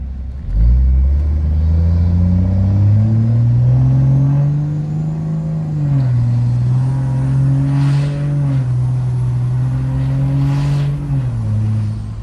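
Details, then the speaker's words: 4th Gen Cummins with 2G swap, 750hp-capable, tune file 3, transmission still learning: tap-shifted upshifts where revs climb then drop cleanly with no flare or clunk, smoother than automatic shifting. "See how much smoother that is when you tap shift? It's because the transmission's not having to do all the calculations for you. It just does what you tell it to do."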